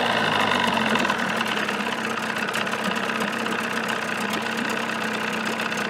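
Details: 1979 Evinrude 35 hp two-stroke outboard in a test barrel, cover on with new sound-deadening insulation fitted: even buzz at steady speed, about 85 dB, no knocking or missed beats; normal running.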